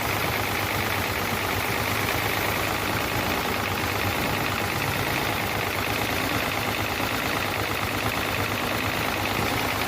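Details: Hino J08C truck diesel at idle after overheating: rough, uneven idle with heavy knock; noise from cylinders 1 and 2, back compression present; piston seizure suspected.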